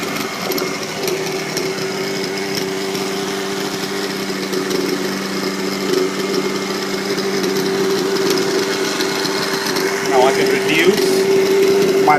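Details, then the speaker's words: Vibe 50 RC helicopter converted to an OS 91HZ two-stroke with new bearings but used piston and sleeve, so no break-in needed, awaiting tuning: steady, even idle buzz with no misses, surges or knocks; normal idle. "it is not a brand new engine the bearings are new the piston and sleeves are not so it will not need a break-in procedure but all it will need is just for me to tune in so as you can hear it's idling"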